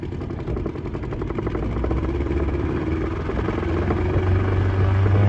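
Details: Old Evinrude 20hp two-stroke tiller outboard on an Askeladden 430 boat, under load after a prop swap: low, even drone climbing slowly as speed builds, no misfires, nearly 20 knots.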